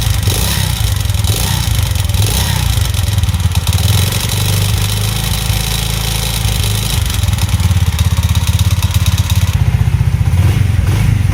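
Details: Alpha Delta Vento 110cc moped idling after a knocking suspected-fake piston was replaced with a supposedly original one (valve clearances unchecked): quick, even beat with no heavy knock; it runs quietly and smoothly.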